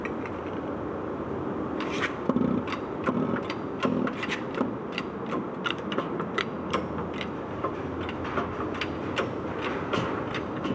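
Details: Peugeot 206 RC: uneven light clicks and faint scrape coming and going once or twice a second over a quiet hum; abnormal noise from the driveshaft intermediate (centre) bearing.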